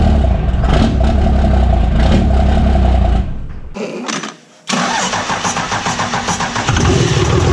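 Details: Cummins diesel truck first start after P-pump swap: fires and settles into loud regular tapping near four per second from the open intake; expected with the intake manifold off, and should go away once it is installed.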